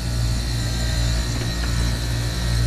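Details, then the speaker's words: Commercial rooftop AC unit compressor, after correcting reversed power phasing: a steady, even hum with no rattle or labouring; suction pressure drops, head pressure rises, suction line cold, now running normally. "okay well let's uh kick power back on ooh that sounds a lot better and look at those pressures"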